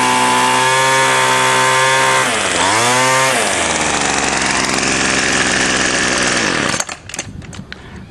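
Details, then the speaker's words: Salvaged two-stroke string trimmer after the limiter caps were removed and the high-speed screw tuned at full throttle, slightly rich: a crisp high scream that dips briefly and recovers cleanly. Normal full-throttle running. "I messed around with the adjustment screw and got it running right"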